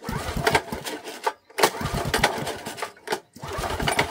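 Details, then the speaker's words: Old 8 horsepower Honda engine from auction, ran previous day on brake cleaner, pull-started on petrol with choke on, full throttle: several hard rasping cord pulls, engine spins but never fires; cranks but will not start, carburetor problem suspected. "now now now she ain't going to go guys I think we have a lot more of a carburetor problem in here"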